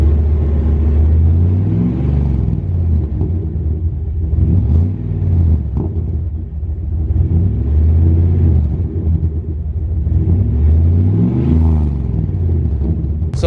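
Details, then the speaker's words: Dodge Ram 1500 4x4 with 5.9L 360 V8 and Flowmaster muffler, microphone at the tailpipe while revving: heavy, deep, throaty rumble swelling and falling, richer tone than before, no clear rattle; just a louder exhaust. "we're going to get on the throttle here and just see what it sounds like because it's getting way more rumbly and a deeper richer tone to it"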